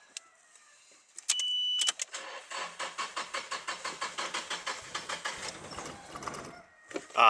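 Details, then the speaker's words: Nissan 180SX (Silvia) ex-drift car, fixer-upper with battery fitted: starter spins the engine evenly, about six strokes a second for three seconds, no firing; tank was empty, no fuel put in; cranking, no start. "Okay, so yeah, we forgot to put the fuel in, which was obviously the original thing."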